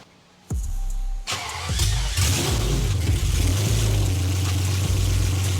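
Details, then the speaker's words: 1991 BMW E31 850i V12, restart after reassembly, no exhaust fitted: crank, then a loud, deep, even run with light revs under 2,000 rpm; no ticking, runs normally. "that is so loud holy but it runs did it sound no weird ticks or anything I didn't hear"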